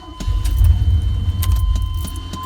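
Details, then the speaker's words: 1991 Chevrolet Scottsdale pickup, battery checked and charged: key jangle and only faint starter clicks with no cranking over a low hum; dead spot in the starter from a bad starter solenoid, it sometimes starts. "See, it started up that time. Now I cut it off. It's a dead spot in the starter. See? That starter will find a spot. It'll find a spot in it."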